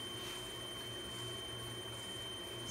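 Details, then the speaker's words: Grizzly G0704 CNC conversion spindle on a Hitachi WJ200 VFD under PWM control, run at about 3000–5400 rpm then stopped hard: clean, steady high whine with no grinding; added braking resistor works, stops without tripping the drive. "yeah that's the spindle the resistor the $13 breaking your sister is working like it's supposed to"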